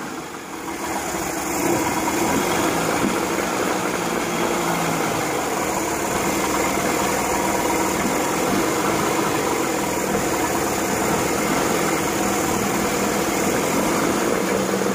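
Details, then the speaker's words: Evinrude 40 hp outboard in a test tank, restarted after carburetor adjustment and leveling: steady, even drone at constant speed with a busy mid-range hum and no misses or knocks; running about as well as it will get. Normal running. "so at this point it was running about as good as I think I'm gonna be able to get it and the test tank"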